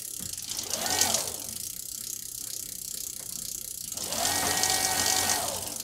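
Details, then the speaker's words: Bafang BBS02 mid-drive conversion on a Specialized Fuse plus-size bike, running on assist level five while pedalled. The motor whine rises and falls smoothly, with quick ratcheting crank clicks; the drive works normally. "okay we're kind of cruising there wonder if this thing will work when I crank it oh"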